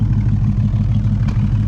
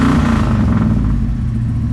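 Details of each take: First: 1971 Ford Maverick 302 V8 with newly installed Edelbrock Pro Flo 4 EFI, distributor at about negative 12 degrees and not yet fine-tuned; low, fairly steady idle with occasional sharp exhaust pop and random sputters: exhaust popping at idle. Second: 1971 Ford Maverick 302 V8 after the Edelbrock Pro Flo 4 EFI swap: steady, even burble settling after the start blip, smooth and regular with no knock or miss. Healthy running.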